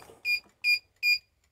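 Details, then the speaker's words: CNSWIPOWER 1500 W pure sine inverter running off a 28 V battery bank, loaded to about 1600 W by an appliance: three sharp high beeps about every 0.4 seconds as it trips on an overload fault and shuts down. "1600 ele bipou ele tá bipando aí com 1600 watts certo então ele tá bipando desarmou"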